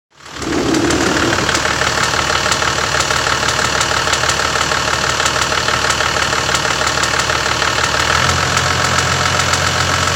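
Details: Toyota Land Cruiser HDJ81 diesel idling: steady, fairly quick tick-rattle, roughly three a second, near the sump, louder in the cabin than outside; cause unknown.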